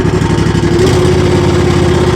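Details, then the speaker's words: Zero-turn mower running correctly, for comparison with one in a rich black-smoke, no-power condition: steady, even buzz at constant speed with no misses or stumbles; smooth and healthy. "how much better that sounds?"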